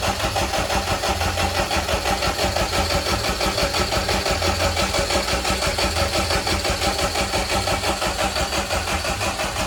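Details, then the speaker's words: Fully built B18 non-VTEC AWD Honda Integra, first start: even starter churn at roughly one and a half beats a second with no firing. Cranking for oil pressure, normally 15–30 seconds. "So, we were just cranking it over to get oil pressure. Um, you normally crank it for 15 seconds at a time."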